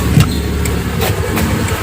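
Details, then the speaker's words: Hyundai Atoz GLS 2001 petrol engine at idle with AC off: low, steady, smooth even rumble, quiet and healthy, no knock or compressor growl (compressor tends to growl when AC is on). "kalau aslinya mati suaranya tenang halus suaranya halusnya"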